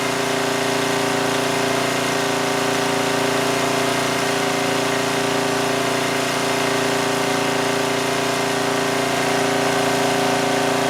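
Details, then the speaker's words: 2002 Coleman Powermate 5500 generator after carburetor cleaning and motor mount repair, engine speed backed off because output was 135 V, now about 120–121 V: steady, even hum with constant tone and no surging. Normal running. "all right so with that I think we adjusted the engine speed adequately it was down to 120 121 which is fine I think that's good I don't want it to run too slowly"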